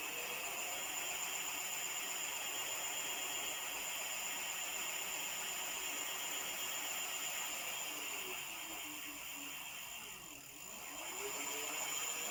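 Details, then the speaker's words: E-bike (Java One build, EM3ev parts) first motor test after final assembly: smooth high steady whir winding down and back up cleanly, no grinding or clicking; normal motor run. "That sounds good. That's really nice."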